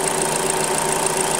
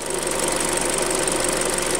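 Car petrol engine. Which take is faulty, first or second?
second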